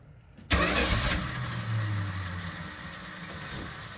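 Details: Dodge A100 (A108) van V8, revived after sitting several years, starts with a short crank, catches at once and settles into an even, steady idle; healthy quick start, running on all 8 after a stuck valve freed up.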